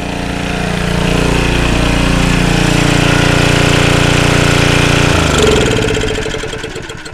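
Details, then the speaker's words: Early-1980s Generac S1500 portable generator on a cold day, shut off with the switch on top before draining the fuel for storage; runs steady and even, then the beat slows and dies away over two seconds, a normal shutdown. "I'm going to hold my breath now and turn off it's got a a shut off switch on the top of the generator I'm going to shut this off"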